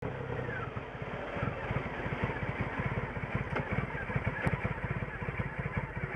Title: 2006 Triumph Rocket III Classic - Rough Idle to stall then okay after restart